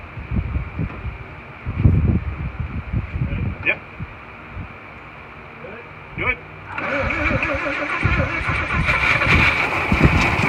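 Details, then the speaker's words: 1941 Chevy six after freeing a stuck valve and replacing its broken rocker arm that caused intake popping: catches and settles to even steady run with no popping back through the carburetor; normal running. "wow that was much better i think so that was much better than all that popping off the calgary nice"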